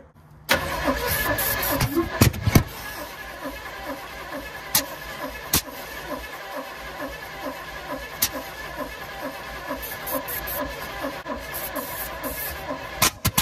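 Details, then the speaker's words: Chevy K5 Blazer, reportedly a built 454 big block, once full of water and previously locked up, unrun for years. The starter turns it slowly at about three beats a second for over ten seconds with no firing. Crew suspect weak battery, not confirmed. "yeah it's not turn over fast hang on we ain't got enough juice no juice it's not turn quick enough"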